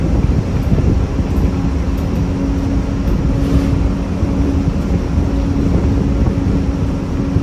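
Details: 1993 Gillig Phantom 35-foot bus with a Cummins ISM and Allison B400R transmission, heard while riding: a heavy low rumble with a steady droning grind throughout under load; transmission suspected.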